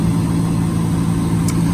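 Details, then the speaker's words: 2003 Chevy Silverado 1500 with a no-crank, no-start fault, started by jumping starter relay pin 87 to positive: a steady, even low hum with no misses, knocks or ticks. Normal idle. "then you're good to go as you can see that's the way you can kinda hack it to get it to start if yours has an issue possibly with some faulty wiring"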